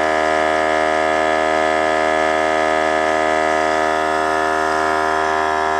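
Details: Harbor Freight air compressor with a worn, damaged pump, filling the tank from empty: loud steady drone with fast even pump pulse, motor labouring as pressure builds; warbles near 90 psi and fills far slower than when new.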